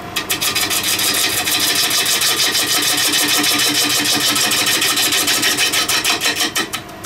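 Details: Large spalted beech salad bowl turning on a VB36 lathe: fast, regular ticking chatter about three hits a second over the cut; the tool is chattering against the spinning bowl.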